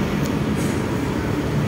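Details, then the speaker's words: 2006 Chrysler Town & Country idling: steady low droning hum over the engine, caused by a badly cracked engine mount passing vibration to the body; engine also moves when shifting, mount to be replaced. "Ah medyo maugong Sumasabay yung Ugong sa makina so talagang basag na basag na so papalit tayo niyan"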